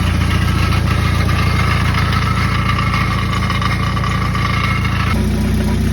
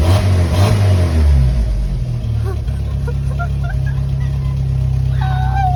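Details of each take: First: 1995 Jeep Wrangler YJ 2.5L four-cylinder at idle: steady, fairly regular buzzing rattle about 3.5 per second resonating through the exhaust, seeming to come from under the motor; caused by a blown-out catalytic converter and muffler baffle, fixed with a new exhaust kit. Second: 1995 Jeep Wrangler YJ 2.5L four-cylinder, after installing a complete OE exhaust kit to fix a rattling blown-out catalytic converter and muffler baffle: a quick rev falls back to an even idle with no metallic rattle. Normal rev and idle; exhaust sounds solid.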